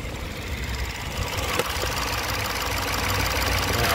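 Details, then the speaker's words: 2022 Peugeot 3008 (code P2074-62) after the oil cap fix: quiet, steady, even idle with no hiss, stumble or knock; engine now running sweet. "we've got the engine issues the engine is now running sweet I can feel it"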